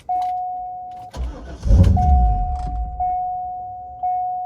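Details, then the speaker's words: 1990s Corvette C5 with a manual LS1, unused for ages, after a third replacement PCM was fitted and codes were cleared: a warning chime repeats, then a short burst of cranking dies without the engine catching. The owner suspects the crank sensor. "no okay crank sensor I reckon I need to do a crank sensor"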